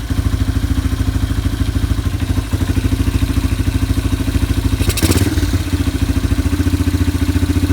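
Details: Yamaha ATV (four-wheeler) idling after carburetor cleaning and float adjustment, new air filter being fitted before the air box lid goes on. Single-cylinder thumps at steady, even idle, no misses or hunting: normal idle.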